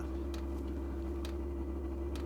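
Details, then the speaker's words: Vevor diesel workshop heater on its first start cycle in a garage at about 0–1 °C: deep, steady low drone with faint ticks; owner thinks it is flooded with too much diesel in the combustion chamber, possibly spilled fuel; dull rumbling on start-up. "donc là on entend effectivement vous voyez le bruit sourd ça veut dire qu'il est gavé et qu'il y a trop de gasoil dans la chambre de combustion je pense"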